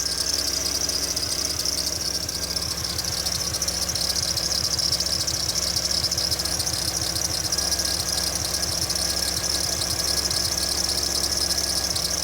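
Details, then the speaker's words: 2002 Jeep Liberty with replacement engine after past overheating, flashing check engine light: uneven stumbling idle with a sharp ticking puff and motorcycle-like note; slight misfire plus exhaust leak. "Now you can start to hear it a little bit. Hear a little bit of stumble, a little misfire."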